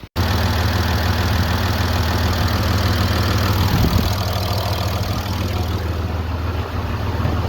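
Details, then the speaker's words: 2013 Ram 3500 6.7L Cummins diesel after replacing a fan clutch that was locked up all the time: steady, even idle with a low smooth rumble and no fan roar building; normal idle, sounding better than before. "Now remember, it already sounds better at idle, and look at what we got now."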